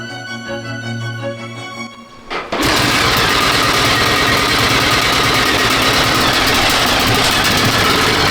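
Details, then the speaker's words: Honda XR600R single, one owner, 7,400 km, first start after full rebuild (had low compression), assembly lube: fires and catches, settles to fast steady even run, no knocks or rattles; now pumping oil to head, sounding smoother. "So now this thing is pumping oil correctly, it's starting to sound much better and much smoother. I'm happy with that."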